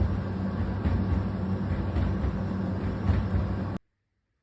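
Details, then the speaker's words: Newly bought Hoover H-DRY 300 tumble dryer, dropped: low rumble with dull "gup gup" thumps as dents on the drum rim ride over the left and right rollers; fix is straightening the drum bumps. "причина чому вона гупала вона їзде на ось таких от роликах один справа і один зліва але Ось тут бачите яки горбики я відзначив скотчем з лентою І тут І коли цей горлик наїжджає тут на на барабан на на ролик воно Гупає гуп гуп"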